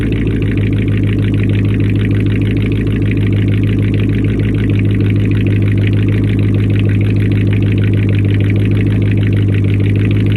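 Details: Engine first start after a week down with a faulty replacement alternator: steady, even low idle with smooth unbroken rumble, no squeal or knock; normal idle.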